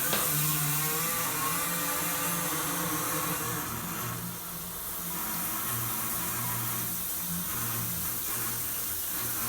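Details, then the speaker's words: Handheld shower unit on master shower valve: rushing water with low humming buzz swelling and fading in waves; felt like vibration in the valve cartridge, cause not confirmed. "you can hear that it comes and goes in waves if I turn it on from the shower head the shower head itself is quite loud so I'm just trying to turn it down so I can hear the noise over it but you can still hear it it sounds like it's VI it feels a little bit like a vibration in the cartridge"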